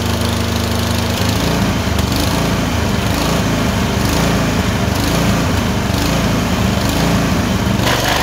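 Steady mower-type drone with uneven beats and repeated faint drop-outs in rhythm; the engine is surging and misfiring intermittently, cause unknown.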